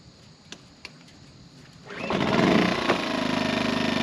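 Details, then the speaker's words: Generator, not in eco mode, powering a roughly 50-year-old electric motor that had been frozen up that morning and that a 1000 W Jackery failed to run; rough, uneven, strained beat under load: engine labouring under load. "I guess that 50-year-old electric engine's got a little bit of drawl to it. So the generator without eco mode will run it, but it don't like it."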